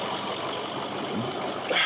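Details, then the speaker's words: Diesel truck idling with a steady, even clatter, no misfire or stumble, after 3½ months of chasing a misfire and major hesitation. Sounds far better than last time; owner hopes the sluggishness is gone. Normal healthy idle. "And I mean, man, this thing sounds amazing. I need to put some air in here in this tire, but man, this thing sounds amazing. It did not sound this good last time."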